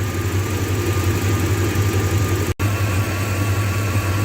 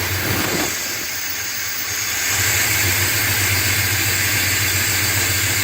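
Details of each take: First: 2001 Dodge Ram 1500 Sport V8 idling while warming up after an engine swap to a good used engine because the old one needed a crankshaft; thermostat drilled to bleed and still closed. Deep, steady even rumble, no knocks or misfires; healthy. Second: 2001 Dodge Ram 1500 Sport, swapped-in used engine after crank sensor change: extended fast steady cranking with a hiss because the fuel rails are full of air, fan hitting the radiator hose, before it finally catches.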